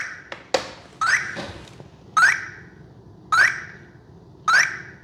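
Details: Arrma Vorteks Boost 1:10 RTR stadium truck, after power cycling; short rising chirp repeating about once a second, ESC warning and not arming throttle; suspected binding issue, not confirmed.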